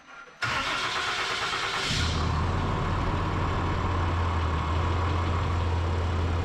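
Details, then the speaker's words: Ram 3500 diesel after fitting a Banks cold air intake and oil catch can: steady idle with a faint high turbo whistle throughout; normal, no blow-off valve or throttle body. "I don't know if you guys can hear it but that turbo whistles the whole time unfortunately on a diesel truck"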